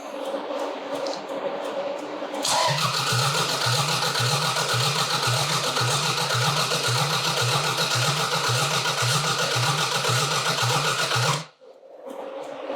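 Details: Toyota Celica engine first start after five years stored, following fuel tank drop, fuel line purge, battery swap and oil priming: catches after cranking, lumpy uneven idle steadying over seconds; rough running after long storage, clearing up, then shut off because a fitting wasn't tightened.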